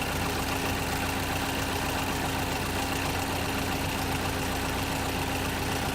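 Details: 2011 Chevrolet Equinox petrol engine idling with a loud, steady roar, fixed humming tone and airy hiss; dealer says it is normal, owner doubts it.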